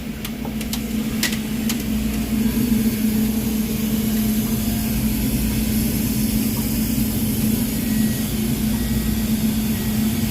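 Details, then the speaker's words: Manitowoc ice machine replacement head on R404A remote condenser, 230 V, in harvest: compressor still running as the hot gas valve opens to send hot gas through the evaporator; steady, even low hum with soft water hiss, a normal harvest cycle. "So there's harvest. So it's still running the compressor. It just turned on the hot gas valve. Now it's going to run the hot gas through the evaporator."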